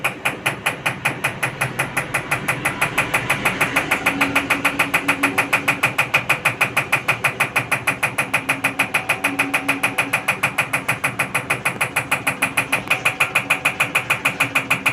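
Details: IFB Executive Plus MSC 10 kg 1400 rpm washing machine: sharp, regular knocking about three times a second over a steady run; abnormal knocking from the drum, cause unknown.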